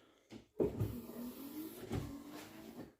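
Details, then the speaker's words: VW Golf Mk2 GTI 16v under restoration, ignition on with a newly fitted battery: wiper motor hums evenly and blades thump softly at reversal, working for the first time in years after wiper arm setup. "we have working wipers check that out don't know how many years it's since been had those"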